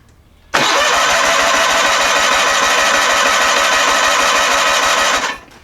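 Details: Onan P218G engine in a John Deere 318 garden tractor, strong even starter cranking for about five seconds that never catches; spark present and fuel pump delivering, but the carburetor needle valve is stuck shut, so no start.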